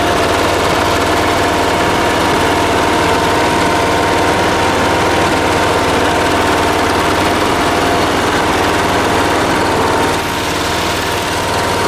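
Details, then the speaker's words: Late-1980s John Deere RX95 ride-on mower with a 36-year-old Kawasaki FV460V engine, first start after carburetor and starter rebuild: a steady, even putter at constant idle with no stumbles or knocks. It sounds good. "this is the time right here it's gonna go all right she sounds good"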